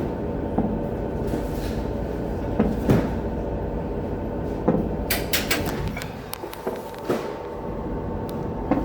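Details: Generator running with no load: irregular dull thumps inside the automatic transfer switch cabinet, below the breaker where generator cable conduits enter, over steady generator hum.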